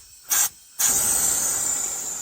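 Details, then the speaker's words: Engine crankcase pressurized with about 10 psi shop air to find an oil leak: sharp steady hiss in bursts then continuous from an open screw hole to the crankcase; crankcase air leak. "now we just look for leaks looks like we got about 10 lbs of pressure going in there now and there's our leak"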